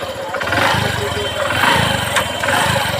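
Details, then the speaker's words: Hero Passion XPro single-cylinder motorcycle after repair for white smoke and poor pickup, clutch assembly reworked: even, steady beat at moderate pace with no knocking or rattle; engine runs smooth and quiet. "Engine में जरा सी भी कोई आवाज़ नहीं है कोई भी sound नहीं है नॉइस मतलब बिल्कुल भी नहीं है इंजन में"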